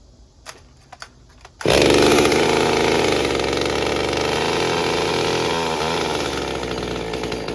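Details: Stihl MS201TC chainsaw after performance work, fresh fuel and new fuel filter: starts on the pull and runs a steady even high buzz without stumbling; earlier problem blamed on fuel filter struggling to pick up fuel.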